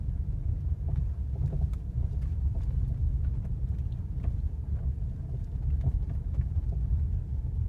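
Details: Ford Mondeo 4 driving over rough ground: dull, irregular knocks through road rumble from the suspension on bumps, also knocking on pulling away and braking; suspected loose suspension part.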